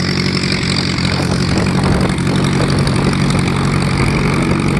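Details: VW Type 1 air-cooled engine, first run after fitting new valve adjustment screws: steady, even idle with a regular exhaust pulse and no valve-gear ticking or clatter; normal idle.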